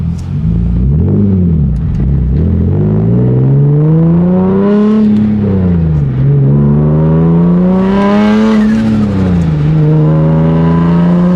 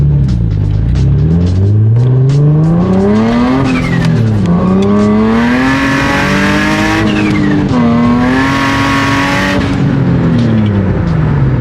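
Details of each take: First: Nissan 350Z Nismo with an aftermarket stage 2 clutch and lightweight flywheel, reported slipping: during a third-gear pull the revs climb smoothly and steadily with no flare or surge. The clutch holds the power fine. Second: Nissan 350Z Nismo with worn aftermarket Exedy stage 2 clutch and lightweight flywheel, under acceleration: engine note flares and hangs high faster than the car pulls, possible flame; clutch slipping, not grabbing, before replacement.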